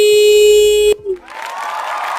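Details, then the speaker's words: Motorcycle with homemade anti-theft alarm modification: turning the key triggers a loud steady electronic tone near 400 Hz for about a second, then it cuts off; the alarm is very loud to scare off thieves. "ini sangat berisik sekali ya. Jadi otomatis semua orang yang ada di rumah nanti akan keluar dan malingnya akan lari terbirit-birit karena kaget."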